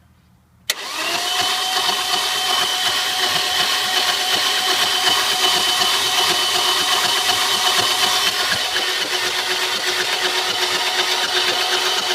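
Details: Audi A4 with codes P1338 and P1392: the starter cranks steadily at nearly three turns a second for over ten seconds, but the engine never catches; crank, no start.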